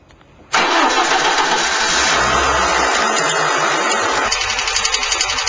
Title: Стук клапанів.avi